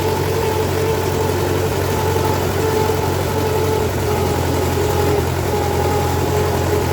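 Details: MTZ-5LS tractor diesel after valvetrain repair (broken 3rd and 4th cylinder decompression arms found), first test run with valve cover off to check pushrod oiling; even, steady diesel clatter and low drone at idle, no knocks or misses, normal.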